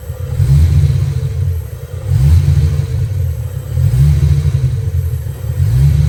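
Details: Ford Foxbody Mustang, after PIP pickup and TFI swaps: revs rise and fall every couple of seconds with uneven, stumbling low rumble; misfire caused by a failing distributor, spare distributor also bad.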